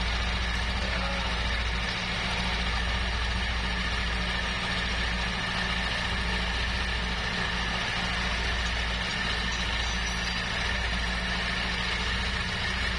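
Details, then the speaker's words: Yamaha NMAX scooter with a loud rumbling, rattling idle: a steady low rumble. The rattle was traced to a worn, very loose camshaft bearing in the head, due for replacement. Some rumble remains and is linked to the CVT cover. "Nah ini dia longgar banget ya bosku jadi untuk masalah bunyi trektek itu udah ketemu"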